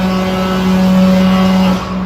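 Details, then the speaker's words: Truck maneuvering slowly into a bay at night. Its brakes give a loud, steady low foghorn-like moan that drops off near the end, described as rusty brakes groaning. "like a foghorn. Knocks the rust off them at least."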